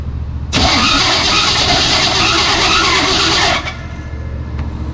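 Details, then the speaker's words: 1973 Chevy K5 Blazer with SM465 transmission, started in neutral with clutch in: harsh rasping grind for about three seconds as engine catches; owners suspect clutch fork rubbing or wrong clutch linkage, cause unconfirmed. "That deal is touching the clutch, What is? the either the fork or the. Yeah, you can feel it grabbing."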